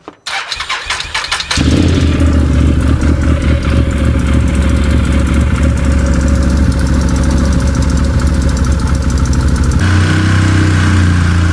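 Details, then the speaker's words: UTV whose drive belt was suspected of slipping: brief cranking, then it catches and settles into a steady even idle with a low hum, clutch side sounds normal; clutches and rollers look fine, belt may just need break-in, normal running. "Huh. Everything looks like it's working fine there. Maybe I was wrong and this belt just needs some breakin time."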